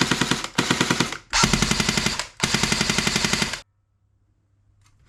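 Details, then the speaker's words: Airsoft Thompson AEG after full service, shimming, fresh grease and hop-up upgrade, on a 7.4 V Li-ion battery: crisp, even bursts of rapid clicks with no grinding; gearbox cycling normally. "There we go, so that is all back together now. So it's all freshly serviced and running smoothly."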